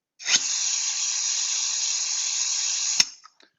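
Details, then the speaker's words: Venturi vacuum cup actuator, suction activated by manual override of directional control valve number five. Steady, even, high-pitched air hiss with no flutter or pitch change: the normal sound of a properly adjusted vacuum generator. "so now that we know what the sound should be for a properly adjusted air vac"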